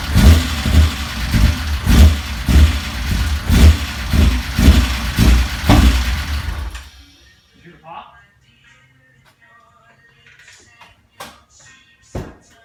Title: 1995 BMW M3 start up with rough idle part 2